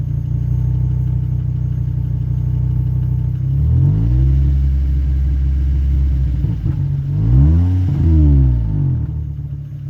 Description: Broken leaking backbox on this 2004 2.4 5-cylinder Volvo. Horrible sound in the low revs, sounds decent in high rpms